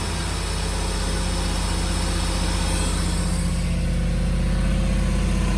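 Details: Gen 2 LT1 V8 in a 4th-gen F-body, after throttle cable adjustment: steady, even idle that stays noticeably high; throttle response restored but idle still revving high, possibly vacuum leaks, not confirmed.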